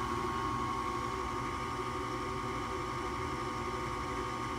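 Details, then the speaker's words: Rheem 80% 75,000 BTU residential gas furnace at startup, safety switches in correct position: even, steady draft inducer hum with constant tone and no rattles or surging, normal pre-purge before ignition. "We're gonna go through our pre-purge. Our safety switches are in the right position."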